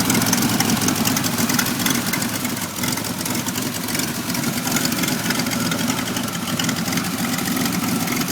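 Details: Loud idle with an uneven, shaky beat and wavering level on a 1991 Pontiac Firebird V6 that now starts but idles very rough, still throwing codes 33 and 43; cause not pinned down.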